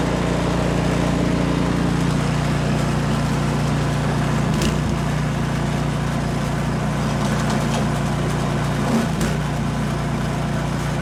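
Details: Almost-new Remington 24-inch two-stage snowblower (MTD, 208cc Powermore), warm, after replacing the Torx spark plug with a new NGK: smooth, steady putter with no misses or surging; running cleanly when warm.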